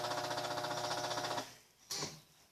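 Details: Electrolux 7.5 kg washing machine: motor hums with a fast rhythmic buzz, cuts off, then a single clunk; agitator turns only one way, not spinning properly.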